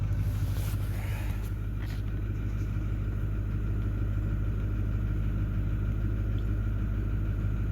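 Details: Ford 6.4L V8 Power Stroke diesel after the injector harness swap: steady low idle with uneven, lumpy pulse about three per second; cylinder three still over-fuelling, adding 19 points of fuel, smoking and not running right.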